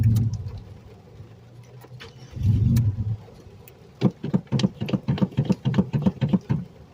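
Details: Starter cranks in slow, uneven bursts, about three or four pulses a second, without catching. Hard start after an intense storm flooded the streets; the engine is extra stubborn when wet, cause unconfirmed.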